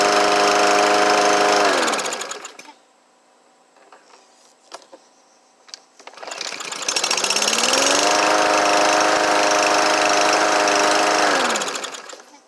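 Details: Troy-Bilt TB110 push mower, Briggs & Stratton 550EX, after repair of a no start: valves adjusted, choke shaft and choke valve fixed, carburetor sorted. Runs at an even speed, cuts out, then picks back up and holds a smooth, steady note; running healthy.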